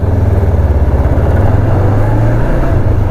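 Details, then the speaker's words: 2005 Kawasaki Ninja 500R twin, revived after sitting 10 years, fresh maintenance, full tank, idling on first ride; steady even low throb, no knocks or misses; a missing screw causes some shaking, running great. "But this thing is running amazing, and it is for sale if anybody wants it."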